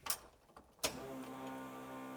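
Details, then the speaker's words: Chevy S10 with junkyard LQ9 6.0 LS swap, new fuel system and fuel cell, before first start: a couple of clicks then a steady high electric hum that holds; fuel pump running under load and delivering fuel. "Sounds like it. Sounds like it's got a load."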